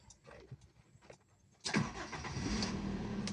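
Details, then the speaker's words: Toyota Kijang LGX 1.8 EFI 2003, manual, first start with temperature and fuel gauges normal: short burst of cranking, then the engine catches at once and settles into a steady, even idle; healthy quick start. "Sekali kontak dia langsung nyala."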